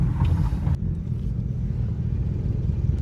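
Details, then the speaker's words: Old hot rod "Pearl" driven in gear; low, lumpy, labouring rumble, engine loaded down and straining. Owner thinks the torque converter is seizing; needs converter and transmission, engine said to be pretty good. "Okay, so maybe Pearl's not real roadworthy. She needs a converter, transmission, pretty much all of it."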